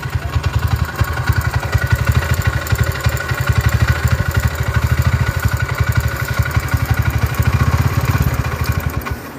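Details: Honda GL single-cylinder motorcycle, 70 oversize bore, tensioner rising and falling: thumping idle swells and sags on its own, revs going high and low by itself, never settling; surging, unstable idle, cause suspected, not confirmed.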